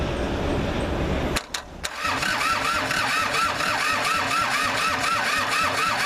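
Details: Kubota L2500 3-cylinder diesel tractor with no throttle response at the injector pump, being tried with brake clean: steady cranking at three to four turns a second, never catching. Cause suspected, not confirmed.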